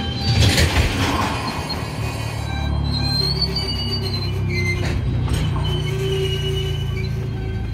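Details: Union Pacific 6644 freight train leaving Mesa Yard at slow speed: steady high-pitched squeals and clanging over low rumble before it stopped; wheel squeal, cause unclear.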